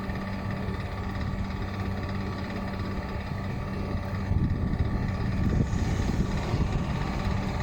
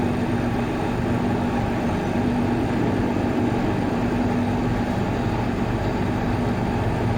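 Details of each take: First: Water cooler fan motor: steady motor hum with a rough, gravelly rumble underneath and a slight rise toward the end, from a bad fan motor bearing. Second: Water cooler fan motor, checked for a bad bearing, gives a steady, even whir with a constant low hum and no rubbing, grinding or wobble; running normally.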